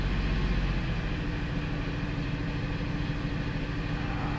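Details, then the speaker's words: 2002 Ford Explorer that cranked but wouldn't start, now running rough and smoking: deep note with a choppy, uneven pulse under revs, a very bad misfire; fuel pressure/delivery problem suspected, not confirmed. "see see if I got a misfire right now this is running rough guys and it's smoking"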